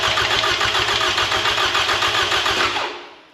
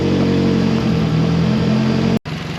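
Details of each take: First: 2007 Toyota Camry 2AZ-FE, freshly rebuilt for blown head gasket and oil consumption, crank sensor unplugged to prime oil: fast, even cranking about four turns a second with no firing, then winding down; healthy oil-priming crank. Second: Freshly rebuilt 2AZ-FE in a 2007 Toyota Camry on first start, stumbling while it relearns: rough, loud idle with raspy puffing that dips briefly and recovers, from a leaking exhaust flex pipe still to be fixed.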